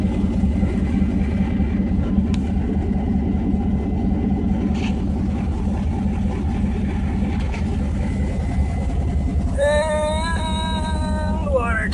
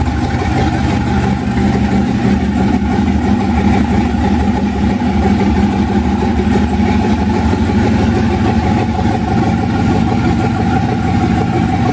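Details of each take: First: 1991 Mazda B2200, 6.0 LQ4 twin-turbo V8 swap, stock 2002 GM computer with a real fuel file replacing a high base fuel number: deep, steady idle without stumble, brief rising whistle near the end, warming up; normal idle. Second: 1991 Mazda B2200 with rebuilt 6.0 LQ4 V8 swap, twin turbos, 80lb injectors, stock 2002 GM computer on 2-bar SD base map, first startup with good oil pressure: deep, steady V8 burble with slightly uneven pulse; rough running on untuned base fuel map.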